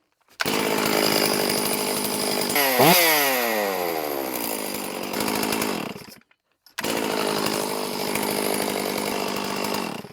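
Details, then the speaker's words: STIHL MS460 chainsaw after piston replacement (old piston had aluminum transfer; possible air leak suspected), fuel evacuated, starting on one pull; snarls through a quick rev, settles to a smooth even run, cuts out briefly, then picks up cleanly; healthy. "I'm so excited I am excited beyond belief here I want to run this thing tomorrow"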